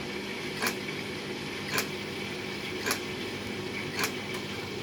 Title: Beko strange noise